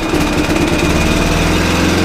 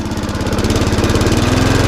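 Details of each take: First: Lawnmower that ran very slow and would not switch off, after greasing the stuck part: single-cylinder putters fast and even, revs now rise automatically, then winds down and stops cleanly when shut off; normal running. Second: Mountfield SP470 self-propelled mower that runs slow and won't stop; engine keeps chugging, releasing the dead man's handle only changes revs and never cuts out: kill-switch contact not quite bridging, needs adjusting.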